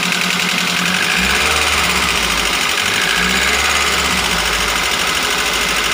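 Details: Daihatsu Gran Max engine running rough at idle: fast, light metallic ticking over the idle. The cause was first unknown (piston, bearing or valve), so the engine is being torn down.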